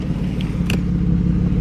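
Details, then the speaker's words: BMW wagon idling after replacing a bad ignition coil that caused a misfire; low, even rumble with no misses or stumbles, much smoother than before: normal idle after repair. "Listen how much better that sounds. So much smoother. So much smoother."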